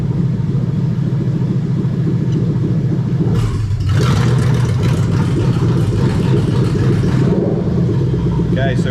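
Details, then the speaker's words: Lexus LS430 3UZ-FE V8 in an IS200 with plug-and-play harness, J160 manual and remapped ECU, during an active test of the VVT-i oil control valves at bank two: steady idle turns lumpy for a few seconds, then settles; valves working. "so these are the oil control valves for the bbti so you're gonna hear a funny noise okay at number two bank"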